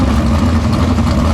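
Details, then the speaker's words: 410 non-wing sprint car, 283-5 All Pro methanol engine with Engler-rebuilt injection, fuel turned down to warm up: loud deep loping even idle, no misses or knocks; healthy, small fitting leak found. "Man, this 283-5 All Pro sounds so good."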